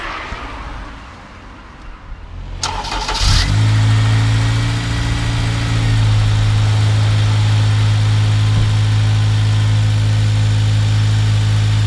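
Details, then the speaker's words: Honda Civic Type R EP3, first start after fitting a refurbished AEM induction kit in place of the dirty airbox: brief starter whirr, fires and flares once, then settles to a smooth, steady idle with no hiss or stumble; no air leaks. "Ooh. No air leaks."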